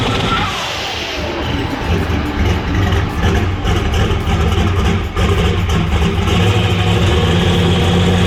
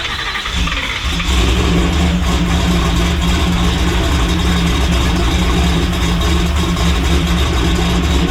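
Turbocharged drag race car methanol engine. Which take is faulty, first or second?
second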